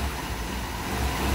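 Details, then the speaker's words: Vauxhall Viva with a new Weber carburettor: short burst of even, fast idle well above normal tickover despite the idle screw being turned in. Owner suspects a spring or a choke cable snapped inside. High idle. "I don't know it sounds like it's not responsive like crazy and I've turned in the idle screw and I don't want to turn it anymore"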